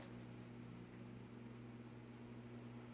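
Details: Vintage Midwest Fan-Lite retractable-blade ceiling fan (LeVelle) powered up after the blade extension was adjusted: quiet, steady low hum with no rhythmic thump or scrape; blades extend smoothly with barely any wobble, spinning in balance.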